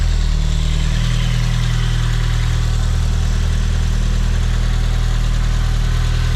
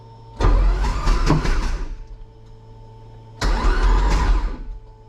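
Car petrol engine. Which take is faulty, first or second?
second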